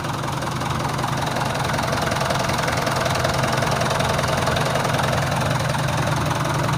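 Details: Stock Mitsubishi Canter 110 PS diesel, recently bought second-hand, before valve and nozzle setting: loud, dull, muffled idle with an uneven, slightly lumpy beat about 150 pulses a minute. Rough idle, needs setting up.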